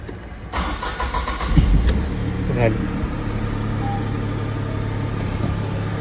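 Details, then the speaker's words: Tata Nexon after replacing fuel pipe at home, clips refitted; fuel pump motor sound first, then short crank catches quickly and settles into a smooth, even idle with no misfire or knock; normal start after repair. "चालू करून बघूया. याचा आवाज येईल मोटरचा पहिला."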